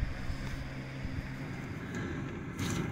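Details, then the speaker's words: 2010 Kia Soul test drive at up to about 60 mph after passenger-side CV axle replacement: smooth low road rumble and light wind, no rhythmic wonk or clicking; earlier noise gone, so the passenger-side CV joint was likely the cause. "As far as it goes, that sound I was hearing before, I don't hear it. So looks like that might have been the right side, you know, that I got, which is the passenger side CV joint."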